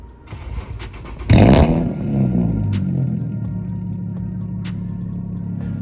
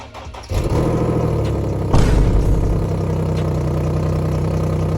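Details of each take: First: Infiniti G37 sedan fitted with test pipes to cure an exhaust leak, warm start since it was run earlier that day: a sharp bark, then a deep, steady, loud idle with no ticking or puffing; normal warm start. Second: Infiniti G37 sedan V6 cold start before repair: cranks, catches with a quick flare, then settles into a loud, raspy idle from an exhaust leak at the Y-pipe flex section, the lowest-hanging point; before installing test pipes.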